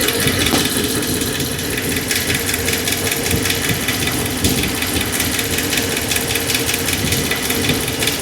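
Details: 2009 Dodge Ram 1500 4x4 with 5.7 Hemi V8, rebuilt engine with a tick since the rebuild: fast, light ticking over the idle, loudest at idle, with the microphone on the brake line. Suspected valvetrain noise on the left side.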